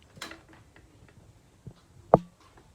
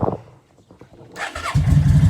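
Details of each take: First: Yamaha V Star 650 that had sat for a while, after carburetor work: twin fires, settles and revs up cleanly with no coughing; before, rolling on the throttle made it cough and want to die. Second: Yamaha V Star 650 that sat a long time, fed gas with Sea Foam: quiet cranking, then the twin catches into a lumpy, loud rumble on choke; suspected gummed carburetors, and the exhaust smells of old fuel.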